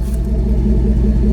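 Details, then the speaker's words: Third-generation Ram 5.7 Hemi after installing headers to fix an exhaust manifold leak, with no leaks now: deep, steady V8 idle with an even pulse. There is slightly more valvetrain noise, which is common on a Hemi, but it sounds healthy. "You definitely hear more valve train noise with the headers, that's for sure. I mean, that's pretty common in a Hemi, but it sounds really, really good"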